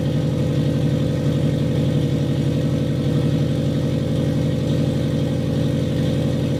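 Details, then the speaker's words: Custom turbocharged FRS (Toyota 86 platform), already warmed up after running a while, revved lightly after fixing a leaking exhaust gasket; it settles into a steady idle with an even, deep exhaust pulse and no puffing or ticking. "fire it up again rev it up a little it has been running so don't yell at me for thinking it's cold and we're revving it it has been running for a little while"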